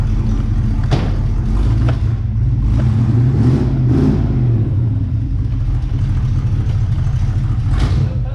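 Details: 1964 Chevrolet Chevelle Malibu SS convertible, 283 V8 two-barrel, factory four-speed, just revived (fuel pump doubtful, no brakes), driven through the yard: deep lumpy V8 burble pulling at low revs, steady firing, no knocks or misses; normal healthy running.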